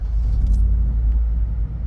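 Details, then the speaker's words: 2008 Opel Zafira 1.6 petrol, 206,000 on the odometer, just started: even low rumble settling straight away with no ticking, knocking or misses, no warning lights; engine idles smooth and quiet. "запустилась наша автівочка будь ласка ніяких помилок Нічого ми не маємо тихесенько все працює"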